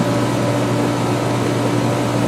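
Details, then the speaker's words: Air conditioner outdoors on a roughly 95°F day, hot and overworked: loud steady compressor hum with firm even drone and fan rush, no rattles or cycling; working hard but running normally. "She is hot and overworked. You can hear the compressor in that."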